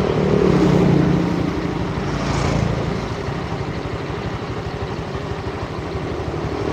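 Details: Honda Vario scooter after repairs (new CVT parts and crankshaft replacing a dented one); settles into an even, steady idle with no crunching or grinding; sounds healthy.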